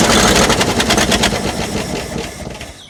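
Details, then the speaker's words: 1970 Ford F600 dump truck, not run for years, fires raggedly at about three beats a second and dies within seconds, running on fuel left in the fuel pump; the engine is flooded with fuel. "There must have still been some fuel left in that fuel pump."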